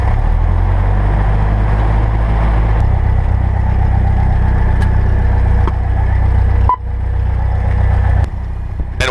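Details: Cessna 172R piston engine just after start, throttle held under 1,000 RPM with mixture in: deep, steady low throb with an even beat and no misses or knocks; normal healthy idle.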